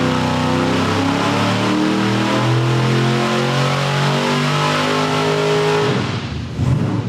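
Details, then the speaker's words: Ford V8 on dyno with Sniper EFI, timing raised another 2 degrees and leaned, pull 2; winds up hard under load then roughens and stumbles near the top like a rev limiter; high-rpm miss visible in data log, cause unconfirmed, valve lash check considered. "Let's pull up our data log here because I thought that it was on the rev limiter up top there, but it's just got a funny miss to it, and you can see it in the RPM line on our data log."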